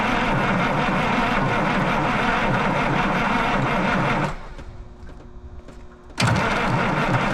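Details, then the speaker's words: 1977 Peterbilt 359 diesel that sat 20 years: long steady cranking that never catches, a pause, then more cranking; glow plugs tried. Crank, no start; air in the fuel system suspected. "yeah he was saying if they got air in the system they will not start"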